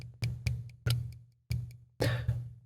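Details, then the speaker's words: Folding knife in the open, locked position with vertical (up-and-down) blade play: the blade is rocked up and down, giving six sharp metallic lockup clicks. "that is because this knife right here has a little bit of vertical play"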